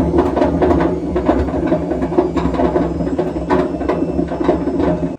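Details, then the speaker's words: Washing machine noisy during the spin cycle: a loud rumble with a harsh, uneven rattling roar and irregular knocks. Either the drum bearing has broken up or the tub is cracked; not yet confirmed by disassembly. "bu ses hoş değil yani iki ihtimal var içeride Rulman dağıldı iyice paramparça oldu ya da Kazan kırık"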